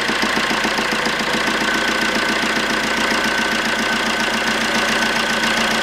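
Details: 2008 Fiat Doblo Cargo 1.3 Multijet diesel, first start after repairing a pulled-out clamp stud for injectors 3 and 4. It runs with the airflow meter unplugged while checking for leaks: crisp, even idle tick, no chuffing or whistle at the injectors, which stay dry.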